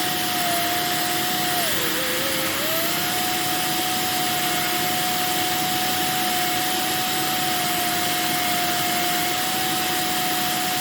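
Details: Electrolux 1505 Silverado canister vacuum, refurbished, running without power nozzle or wands: steady mid-pitch whistle over the motor roar, dipping briefly once; owner suspects the small hole to the automatic control valve or the inlet shape.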